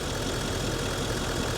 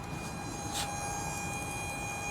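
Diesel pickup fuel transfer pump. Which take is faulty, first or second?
second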